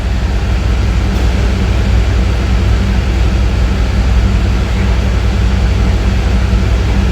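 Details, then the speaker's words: 2001 Chevrolet Tahoe Z71, 5.3 V8 with cable throttle, check light flashing, coils already replaced: loud low idle rumble with an uneven stumble as one cylinder drops out. Codes P0200 injector control circuit and P0300; bad injector suspected. "Circuito del control de inyector p200 muy importante como que hay un inyector malo por ahí"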